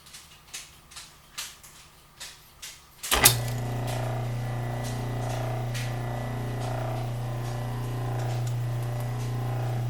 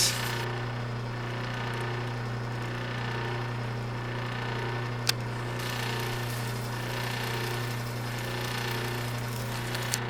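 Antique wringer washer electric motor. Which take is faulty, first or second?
second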